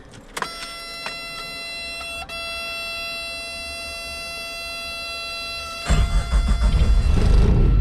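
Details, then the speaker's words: 1986 Suzuki Samurai turbo diesel after draining old fuel, fitting a fresh fuel filter and refilling with clean diesel: quiet, then catches at once and settles into a steady, even clatter; normal start. "it starts right up look at that it likes that new diesel it was good to get that out of it with the fresh filter"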